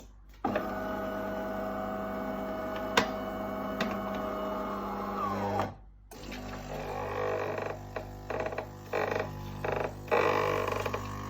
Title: Delonghi magnifica strange noise